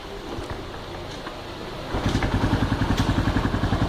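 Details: Honda Pop 110 motorcycle at 34,000, brought in for engine noise; single settles into a smooth even putter with no ticking or knocking, healthy idle.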